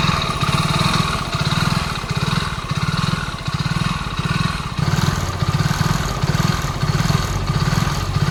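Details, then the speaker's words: BS6 single-cylinder bike engine at 47,500 km, in for engine work, at idle: dry, tinny mechanical rattle over each firing pulse; scored cylinder bore, piston also lightly affected. "இது வண்டியோட போரில் scoring வந்துச்சு."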